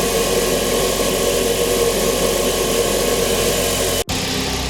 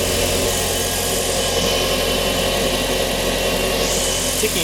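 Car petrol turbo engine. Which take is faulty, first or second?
first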